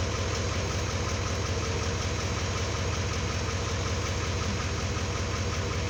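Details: 2018 GMC Sierra 3500 L5P Duramax diesel idling after fuel filter change and lift-pump priming: even steady rumble, no misses, knocks or rattles, no leaks; in-tank pump running but masked; normal healthy idle.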